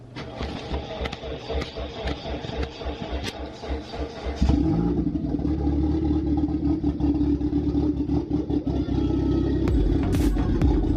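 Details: Mitsubishi Eclipse 2G first start after engine rebuild, new wiring loom and AEM installed; starter churns, engine catches and idles uneven and lumpy; owner suspects an open vacuum line and unplugged oxygen sensor.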